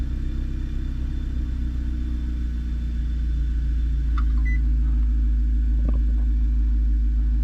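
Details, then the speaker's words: Audi started after 10-12 gallons were drained from the tank via the scan-tool fuel-drain function, with the gauge still reading full. Low, uneven rumble with an irregular beat of about four per second: the engine runs rough, and the owner suspects another fault, cause unknown. "So I don't know, we'll give it a start and see what it motions down to. Ooh, that sounds rough."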